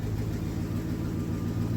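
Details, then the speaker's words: 2002 Toyota Sequoia 4.7 V8 after replacing the failed fuel pump (zero fuel pressure before) and priming the lines: steady, even low idle with a smooth beat and no misses, knocks or whine; running healthy. "Once it's done beeping, then we're gonna give it the start. Here we go. Yeah. Right. Sounds good."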